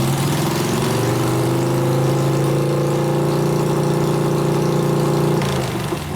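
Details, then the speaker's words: 1988 Harley FXR, nearly out of gas: a loud, lumpy drone with an uneven beat that stays ragged as revs hold, running on one cylinder. Water came out of the coil plug, causing the misfire. Jetting is possibly a little fat. "plug water came out of coil that's why it started cropping it runs good on one cylinder though"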